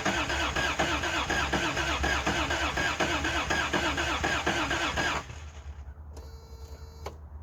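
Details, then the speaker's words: Old Toyota Hilux DLX pickup with fresh gas added. The starter cranks evenly at about two turns a second for five seconds without catching. Crank, no start: fuel pump not heard, and something was later found unplugged. "I can't hear the fuel pump, so let's do a little investigating."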